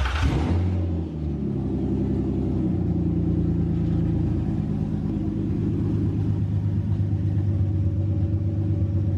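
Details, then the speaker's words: Nissan 350Z first start-up after sitting a long time, new test pipes and O2 sensors refitted, coolant being bled: engine catches, light blip, then settles to a steady, even low idle with no knocks or rattles; normal idle. "give it like a light rev light it sounds healthy what is it idling at"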